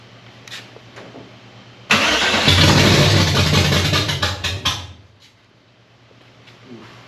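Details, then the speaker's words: 1965 Chevy Nova wagon, 327 small block with Edelbrock carburetor, first fire: cranks, catches, runs rough about three seconds then dies as prime burns off, no fuel yet in filter; stalls from fuel starvation. "I guess I got to Sauce it again it got fuel to the no still no F on the filter I heard it in the hose getting there he trying to pick it up"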